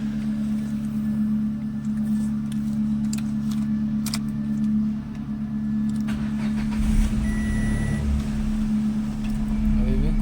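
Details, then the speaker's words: Renault Kwid petrol engine that had P0313 low-fuel misfire codes: steady even idle without stumbles or dips; misfire apparently solved, light off on restart, only an alternator code from a broken coupler remains. "बाकी हमारी वो problem शायद solve हो गई है"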